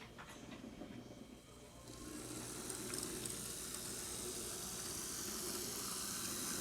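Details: Modified Athearn P42 HO locomotive mechanism, after modification, running on track: a soft, steady, high whirr builds with no grinding or clatter. It runs smooth and quiet, unlike the original kit chassis mechanism, which ground noisily.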